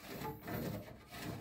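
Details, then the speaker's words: Window-type aircon fan motor with worn bearing lets the fan blade rub its housing when started: dry scraping rasp in uneven surges. "So may may Inay dahil nga itong fan motor na to ay yung bearing nito ay na so itong fan ay sumasayad na dito o may sayad na siya"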